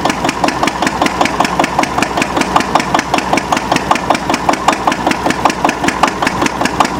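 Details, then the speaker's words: Antique Witte 12 hp single-cylinder diesel genset, 8 kW generator: crisp even beat about five firings a second, steady; normal governed no-load operating speed. "You see, it's actually running pretty fast. It's going to slow down. That's operating speed right there."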